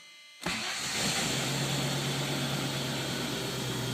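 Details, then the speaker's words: 1995 Range Rover Classic V8 before MSD 6A ignition install, stock coil, battery 11.5 V: silence then immediate catch into steady, even idle; clean normal start. "Right up, no problem. Everything's fine. Everything runs just fine."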